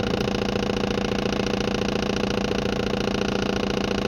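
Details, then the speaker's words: 2013 Maruti Dzire diesel idling with a rough, lumpy clatter under the even knock, one cylinder not firing; misfire with MIL on, code P0201 injector circuit open, and it returns after clearing. "Deities कौन आसले injector circuit open देखुची injector repairing आसी भी solve है"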